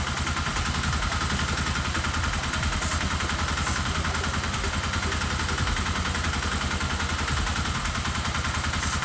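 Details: Custom single-cylinder dual-sport motorcycle with a new replacement carburetor, idling with an uneven, lumpy beat while carb cleaner is sprayed around the intake to test for vacuum leaks; rough idle, test found it was not a vacuum leak.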